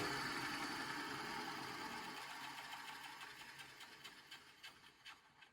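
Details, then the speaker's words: Restored electric motor for a Champion Blower and Forge 20-inch camelback drill press, after replacing its crunchy bearing with a new one. It coasts down smoothly, hum fading steadily, with a light click as the centrifugal switch disengages. Normal coast-down. "Beautiful. By the way, that click you heard as this thing was coasting down, that was just the centrifugal switch kicking out, disengaging."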